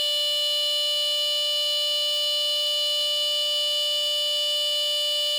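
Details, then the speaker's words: Sears 57002 smoke alarm (rebranded My Guardian), fresh battery after a dead one, tested with smoke spray: loud steady high-pitched alarm throughout; works, though test button contacts are unreliable. "as you see still works just the test button contacts doesn't like to work on it sometime"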